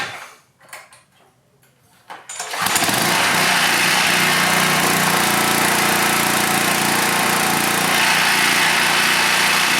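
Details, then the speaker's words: Pressure washer engine dated 2002 (18 years old), shroud and air filter off, governor spring slightly loosened; starts first time without choke and runs steady at high speed with light clatter and some smoke; normal running. "smokes a little bit clatters a little bit fits right in it's a working pressure washer"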